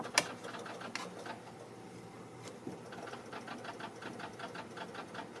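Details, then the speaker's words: 2013 Chevy Silverado no-start, key on: no crank, fast steady light ticking about four or five clicks a second in quiet cab; owner suspects blown main fuse, dead battery, bad ground or short, unconfirmed. "now it's doing stuff that it didn't do before at all it's like the main fuse is definitely blown or something that's what i would say"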